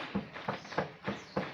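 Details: Galaxy scooter after a steering bearing replacement: sharp, hollow knocks about three a second as the front end is worked, a loose clunk from the steering column; owner suspects the nut wasn't tightened enough.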